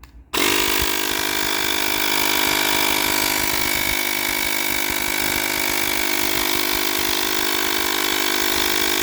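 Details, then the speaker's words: Mini air compressor (tire inflator) tested right after its broken on/off switch was replaced with an adapted actuator switch: motor snaps on and holds a strong, steady high hum with no dips or rattles; normal motor run. "Wow, this thing spins beautifully here, huh? This thing is really powerful here, huh?"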